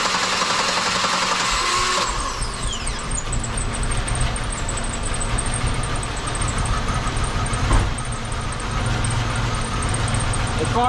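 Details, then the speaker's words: 2003 Buick Century after battery replacement for cold-day no-start, multimeter ready to check alternator voltage: brief quick cranking, engine catches and settles to even idle; starts readily on new battery. "okay now I'm going to start the car off and then we're going to check the voltage on the alternator"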